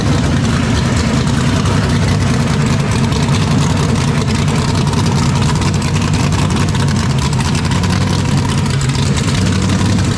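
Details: 427ci Dart LS Next 2 race truck V8 on run stand, ls3 heads, solid roller cam, billet crank and rods, twin turbos, methanol, cold first start before dyno. Loud, deep open-header rumble holds steady and even with no knock or miss; healthy fresh engine.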